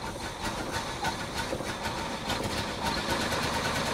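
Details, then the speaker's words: 1968 Chevy Caprice V8, sat 18 years, first start on fuel poured into the float bowls with a 12 V jumper wire to the ignition: uneven, stumbling idle, missing a cylinder or two; owner plans to check for loose spark plug wires. "come on well that sounds awful it is uh definitely got some misses in it but at least it is running so we know it runs"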